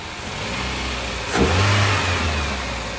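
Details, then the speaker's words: 2003 Toyota Celica GT with a 1ZZ engine, just revived after sitting: a smooth idle, then a quick, clean rise in revs that settles back evenly with no knock; the engine sounds healthy. "We have a working 1ZZ."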